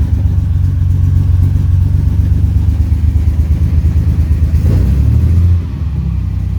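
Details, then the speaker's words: 1938 SS Jaguar 3½ Drophead during restoration, started from inside after electrical work with ignition, lights and fuel pump on: steady, even six-cylinder rumble firing cleanly without misses or knocks, settling quieter; healthy running. "let's start it ignition lights fuel pumps going there we go firing nicely"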